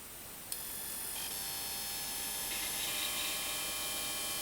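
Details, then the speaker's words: LG 60PC45 2008 HD-ready plasma TV after repairing stuck-in-standby fault: relay clicks, then steady high-pitched sustain whine over slightly noisy fan hiss; set running normally. "listen to that the sustainables are running the fans are on a bit noisy those aren't ears might need a bit of a wd-40 or something"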